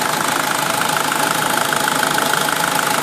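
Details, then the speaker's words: SsangYong Kyron Mercedes-derived diesel, hot with fan running, idling with engine flush added during an oil change: steady, even diesel clatter with fan hiss, no odd knocks; smooth, normal idle. "Вообще идеально работает. Ни черта не слышно. Так аккуратненько работает. Ровненько, мягенько. Если бы сам не звук дизеления, вообще не было бы слышно."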